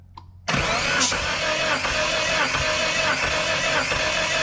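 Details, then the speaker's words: Mitsubishi Galant VR4, 16G turbo, chipped ECU, compression test with cam angle sensor unplugged so no spark or injection: steady even cranking with no firing; cylinders reading about 100–110 psi versus 150 before. "We have the cam angle sensor unplugged, so it's not gonna fire the spark or the injectors. The fuel pump will still be running, however. Go ahead and crank it."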